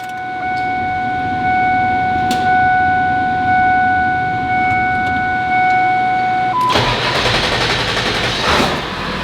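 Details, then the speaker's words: 23-year-old diesel truck on jump start (batteries dead) after new FASS fuel system and fuel pump: steady electric tones, starter barely turns, diesel catches at once and runs even and gruff; fires right up. "and then um when we jumped it it literally fired right up no like on my on my uh ram it took like a long time even when you change the filters for that thing to like actually start"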